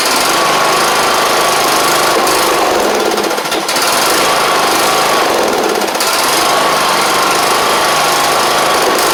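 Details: John Deere LA100 with 5-speed transaxle, long unused and hard-starting with valves out of spec, running on fresh gas: a loud, fast, even single-cylinder putter holding steady speed with no misses or stumbles. Normal running.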